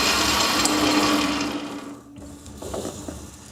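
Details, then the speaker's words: Lathe turning as depth of cut increases from 50 to 80 thousandths per side: steady whirring cut, then the motor note sags and quiets as the tool bites deeper; lathe taking a heavy cut normally, finish stays consistent. "Okay, so it's going to catch up. There it is. You can hear the lathe taking the load."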